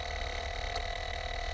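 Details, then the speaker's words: Car starter rapid chattering clicks for about 1.5 seconds without cranking: solenoid clicking in and out; starter solenoid or motor, or most likely a weak battery, suspected. "The next sound you'll hear when you try to start your car is multiple clicks, like a chattering sound."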